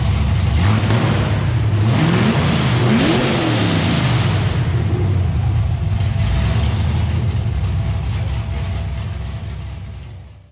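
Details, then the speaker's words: LS-swapped car with TIC Performance stage 2 turbo cam, open headers with exhaust off, started before clutch/transmission install to check rear main seal: deep loud V8 blips then slightly loping even idle before shutoff; normal idle with mild cam lope. "is a tic performance stage 2 turbo cam which as you can hear with the exhaust off it sounds pretty low P you can hear that as a cam"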